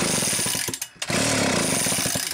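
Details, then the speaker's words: Homelite chainsaw during a coil and transformer ignition test while cranking: quick, evenly spaced snapping ticks of the spark arcing. Owner suspects poor contact, possibly paint in the connection or too little pressure. "i could hear it arcing that time that's funny that is funny"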